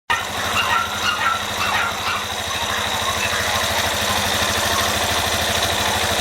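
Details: Yamaha Fazer 250 single-cylinder motorcycle idling: a regular, tight knock ticking with each revolution over a thin metallic rattle from the engine; a connecting-rod problem is suspected but not confirmed.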